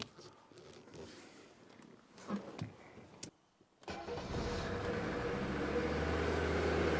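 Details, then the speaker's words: Mercedes W123 300D OM617 diesel reported dead, started after about two hours of work; lumpy, uneven clatter at idle, smoothing out when revved, good oil pressure; rough running. "now you're gonna say well can't it doesn't run that great yeah but it runs and once I bring it up to speed it Smooths out pretty well good oil pressure"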